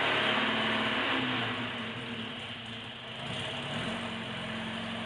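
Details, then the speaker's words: 1976 Alfa Romeo Spider, twin carburettors, cold start in cold garage, half choke with slight throttle lock; revs lifting and settling with steady low beat and hiss, picking up crisply as it warms; normal cold running on half choke. "A little bit of enrichment out. We're at half choke now, and it's starting to respond."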